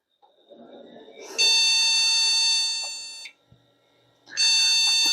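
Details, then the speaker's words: Vintage e-waste PC powered on after reseating its RAM sticks (one was very hard to slide out): a shrill high-pitched beep held about two seconds, a pause, then another long beep. This is a BIOS memory-fault code; next step is pulling one stick. "is again a memory problem let's just pop out one of those sticks and see if we get any life out of it"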